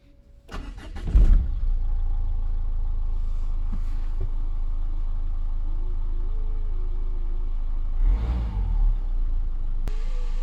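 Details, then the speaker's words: Renault 1.5 dCi diesel after a fuel filter replacement, primed by switching the ignition on three times: the starter spins briefly, then the engine starts first try and settles into a steady, even idle with no misfire. "elle a démarré du premier coup."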